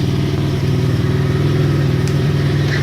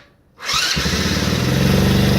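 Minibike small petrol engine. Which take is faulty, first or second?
first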